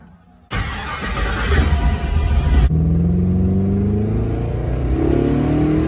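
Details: 1972 Impala with LS3 swap, after tightening loose torque converter bolts (two of three were loose); engine fires, revs briefly, then settles into a steady, even idle with no rattle or knock; rattling gone, sounds healthy.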